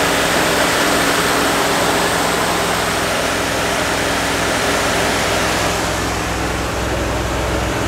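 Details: 1969 Fargo 500 dump truck, long-stored engine running on gas poured into the two-barrel carb: loud rushing roar with a loose pulsing beat about three or four per second; smoking, slight exhaust manifold oil leak.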